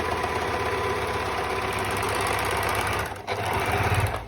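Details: Singer 4-thread overlock machine sewing a narrow rolled edge with the lower looper tightened: fast, even mechanical stitching chatter at steady speed, then slows and stops; normal running.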